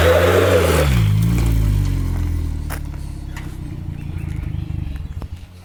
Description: Note, alot of the brrrrr sound is coming from the exhaust leak at the waste gate / Toyota pickup 22rte hi-flow cat 4 inch lift 33s t3/t4 turbo 8psi boost.